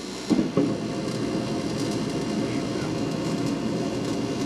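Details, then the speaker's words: Mr. Heater Big Maxx garage heater, under a year old: the exhaust inducer fan runs with a soft, even whoosh, no rubbing, ticking or squeal; normal and quiet, so the loud chatter must come from the blower fan. "that fan is on and is not making noise so it's got to be this fan"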